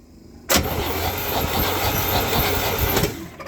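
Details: 1972 Chevy C10 with a 350 V8, sat in a barn 30 years, cold at 29°F, cranked on a makeshift double-ground battery hookup: starter churns evenly about 2.5 seconds and it never catches; no spark.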